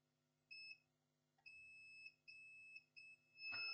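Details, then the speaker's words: Acer Aspire E1-571 laptop with no power, motherboard on bench: clean high-pitched multimeter beeps, short then sustained, showing continuity across the first MOSFET at the charging input; that MOSFET is shorted. "first MOSFET is shorted. Okay, so the our problem is on the charging port."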